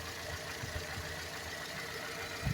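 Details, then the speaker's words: Ford Ka 2009 1.0 Zetec Rocam after a cylinder-head rebuild had a noise like piston slap; the timing-chain tensioner had no pressure and was replaced with an aftermarket one. Now a quiet, steady idle with a soft even beat, no knock. "eu troquei ele e coloquei um de uma marca que não é original dele mas ficou muito bom e daí parou de fazer"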